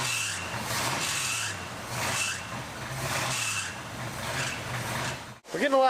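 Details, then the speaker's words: 1968 GMC half-ton with Quadrajet, long water pump and a custom alternator bracket: shrill squeal rising with each throttle blip. Suspected slipping belt; owner plans to unhook the alternator to check. Belt squeal. "Now, let's see if it revs the moon on its own. [Applause] It sounds like your pickup. The belt sounds angry."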